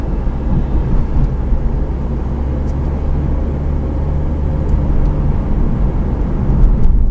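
A deep, steady hum and rumble grows under way with no knocking; the constant drone fits a worn wheel bearing.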